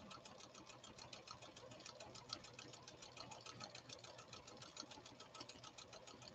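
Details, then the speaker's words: Late-1980s–1990s Pfaff Creative 1471 sewing machine after restoration, stitch 90: quick, even needle ticking about three and a half per second with a light whir; smooth, healthy running. "we'll just listen to this model 1471 run it's running so beautifully now"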